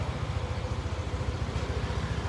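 An even, low putter of about a dozen pulses a second holds steady with no misses or tapping.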